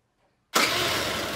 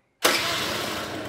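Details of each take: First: Two-stroke scooter with the carburetor idle screw backed fully out, no throttle: fires with a sharp burst, then fades and dies within about two seconds; stalling because the idle screw is set too low. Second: Two-stroke scooter during carburettor idle-mixture setting, idle screw turned in until it stays running without throttle: catches at once and settles into an even, buzzy idle; normal idle.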